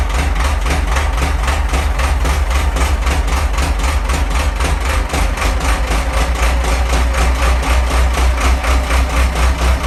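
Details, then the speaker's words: Ford 6610 tractor diesel, cold: heavy uneven loping idle, about four pulses a second; owner says injection pump timing needs slight adjustment, and it smooths out at about 1100 rpm or when warm. "I'll start it up. It does lope. I do need to adjust the timing a little bit on the pump, on the cover."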